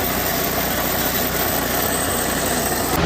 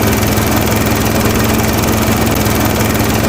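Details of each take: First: Toro TimeMaster mower running: loud dense metallic rattle/clanking as blades slowed, from failed blade spindle bearing, with excessive play in the main pulley. Fix is replacing spindle bearing, shaft and spacer. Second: Toro Timemaster mower after blade spindle, shaft, spacer and bearing repair: loud, even engine drone with steady blade whir, no knocking, wobble or bearing growl, some exhaust smoke burning off spilled oil; runs smoothly.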